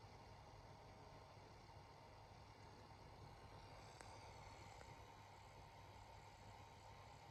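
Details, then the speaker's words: Atomos Ninja V monitor cooling fan in a quiet room: soft, steady fan whoosh with one faint sharp tick near four seconds; fan still making noise after startup, tick cause unknown. "so fan still making a bit of noise now"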